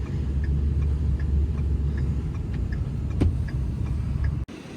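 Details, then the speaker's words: Disabled hotshot truck towed slowly off the highway after its transfer case exploded: heavy low rumble with faint regular knocks, loose drive shaft slapping. "All right, got my guy moving here. You hear the drive shaft slapping around, but better to get him off this highway."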